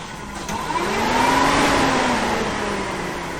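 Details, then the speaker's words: 1974 Chevy Nova with a new Chevy 350 V8, first crank before first start; the starter whine rises and settles smoothly for about three seconds with no grinding or clicking; the engine cranks over fine. "good engine crank's over um we're ready to crank it up"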